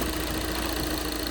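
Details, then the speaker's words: 2012 VW Jetta TDI wagon diesel, started on a jump box: steady, even idle with the usual light diesel clatter over a low rumble and no misses or heavy knocks. A healthy running diesel. "Started right up with the jump. It is the diesel as you can hear."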